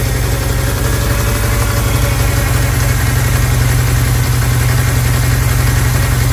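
Loud, slightly uneven idle with a steady low drone and a faint airy note over it; consistent with a big intake vacuum leak.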